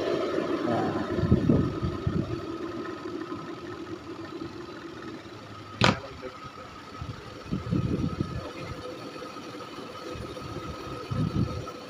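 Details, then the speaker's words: Panasonic twin-tub washing machine spin dryer after removing cloth caught on the tub shaft: only a smooth, steady hum at high spin speed with no knocking or banging; normal spin. "ayan wala ng ingay ah umuugong na lang siya sa sobrang bilis ng ano ng ano niya ng ikot pero wala kaang marinig na ingay nak kalampag ng katulad ng"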